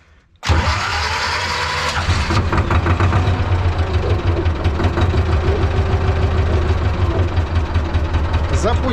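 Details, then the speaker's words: T-16MG self-propelled chassis tractor, D-21 diesel, after clutch centering and adjustment: decompressor used, clutch pressed, full throttle; starter catches at once and it settles into a steady, even diesel clatter with no knocks. Normal start and idle. "so now we will turn on the mass, I immediately have this light that it works, turn on the decompressor, press the clutch on and start the gas full of"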